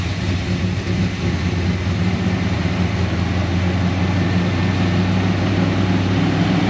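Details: 1988 Holden VL SV88 V8 after an hour of fixing the Rochester Quadrajet needle and seat and the choke arm, started with no throttle and the muffler off: a deep, even burble at steady idle with no misses, knocks or hunting. The fuel issue is fixed.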